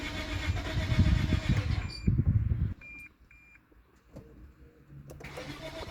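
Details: Lexus IS250: about three seconds of uneven starter cranking with no firing, then it stops, leaving only dash chimes; crank no start.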